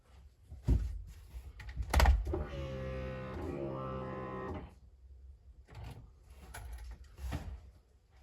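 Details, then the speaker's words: 1988 VW Golf MkII after 14 years stored, key on before first start attempt: steady electric hum with faint rising whine for about two seconds, then settles; fuel pump primes and reaches pressure normally. "okay well that was a pretty conclusive pumping noise so it obviously reached pressure and set up the middle"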